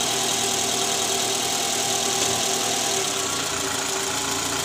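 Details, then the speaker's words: 2012 Toyota Alphard ANH20 2AZ engine, about 100,000–101,000 km, just restarted after replacing worn, loose balancer shaft. Steady, even idle, smooth hum, no rattle from the oil pan that the loose balancer had caused. Rough at cold start before. "Jadi sekarang suara mesinnya lebih halus dibandingkan sebelum kami mengganti balancer."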